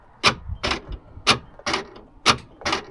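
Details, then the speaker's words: Land Rover LR4 rear upper tailgate door lock actuator, newly replaced after old one pulled too weakly: sharp whirring clacks about once a second, crisp and complete; normal actuator operation. "here that that's what it's supposed to do make noise"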